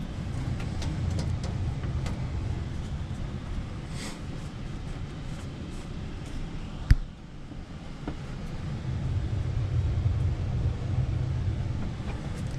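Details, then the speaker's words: Newly installed Tam6 HVAC air handler running: low steady airflow hum with one brief click midway. The earlier whistling is gone after the unit was sealed up; normal running. "that Whistling noise is gone cuz we got this sealed up"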